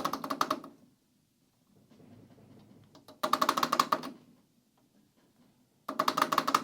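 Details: Hard drives in a Sliger server chassis: short bursts of fast metallic chatter under a second long with quiet gaps, drives rattling against metal mounts; vibration noise before fitting rubber-grommet shoulder screws.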